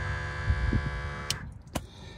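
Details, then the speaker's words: Rough Country air spring kit compressor on a lifted 2022 Ram 2500 4WD: pressure sensor holds 5 psi, pump kicks on when pressure drops below; steady fine electric buzz for about 1.5 s then cuts off, not very loud; normal operation. "so the pressure sensor keeps it at 5 lb so if I let the air out um as soon as it gets below 5 lbs you hear the pump kick back on pump's not really loud"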